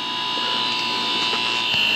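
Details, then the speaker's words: Mitsubishi mini-split with rotary compressor being charged with refrigerant: steady high electric whine shifts pitch near the end as the compressor loads up at 35 ounces added. "now you can hear the compressor just change pitch we're at 35 ounces"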